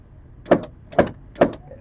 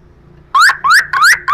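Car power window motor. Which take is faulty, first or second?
first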